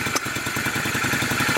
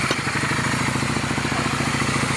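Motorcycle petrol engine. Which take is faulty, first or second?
first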